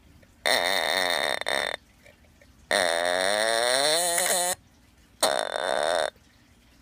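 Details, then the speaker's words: Sears Early One fire detector, test button pressed with wrong battery: short wobbly raspy buzz bursts instead of a clean beep; horn weak because it needs a 9-volt alkaline battery. "It sounds like a fart or something like that. That's a fail, but at least it doesn't work."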